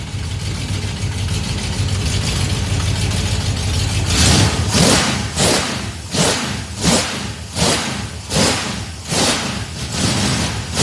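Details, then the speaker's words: Small-block 307 V8 with FiTech EFI, deceleration IAC setting changed to zero. After the revs, the idle surges and sags in a steady pulse, about eighty a minute, and takes too long to come down: slow return to idle. "See how high it is? It takes a while for it to go down. Now it's starting to idle down. See, it takes too long."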